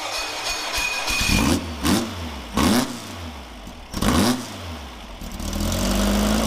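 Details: VW 1776 flat-four fresh build on an engine stand, dual Webers, 69mm crank, 90.5mm pistons: several sharp throttle blips rise and drop back cleanly to steady idle; revs freely, runs normally.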